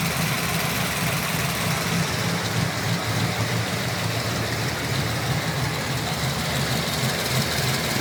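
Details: LS3 V8 with JRE 445 street cam package, ARH long-tube headers and high-flow cats: lumpy cammed idle with fast light ticking over the exhaust burble; owner suspects lifter tick, not confirmed.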